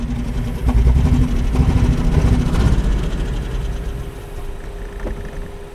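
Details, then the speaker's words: Mustang with 264,289 km, not in limp mode: lumpy, loping idle with an uneven low thump about three times a second that fades as it settles; it is down a cylinder, a misfire. "You're down a cylinder, jackass. Let's see how this goes."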